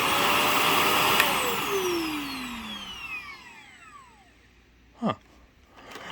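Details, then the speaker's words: Shark NV355 vacuum after motor main pod replacement, switched off: whine falls steadily in pitch over about four seconds as it coasts to a stop. Unusual-sounding but clean spin-down, no scraping; works fine. "whoa that sounded [Applause] goofy kind of a strange motor wind down sound but"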